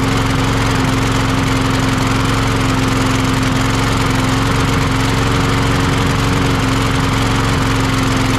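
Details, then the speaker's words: Troy-Bilt (MTD) push mower brought in for not starting: the engine drones but its beat wavers and stumbles. It still runs rough with this carburetor, a faulty or dirty carburetor. "you still not running quite right with that carburetor on it for some reason"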